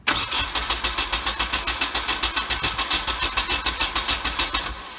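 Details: Nissan 240SX with freshly installed KA24DET, fuel lines and Z32 fuel filter, primed, first start attempt: steady cranking about three and a half beats per second for five seconds, never catches; fuel supply problem mentioned, cause not confirmed.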